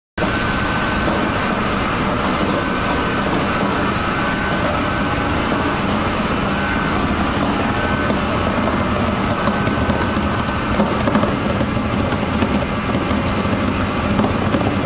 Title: Centrifugal pump//amazing sound of cavitation in the centrifugal pump//machine//industry//mechanical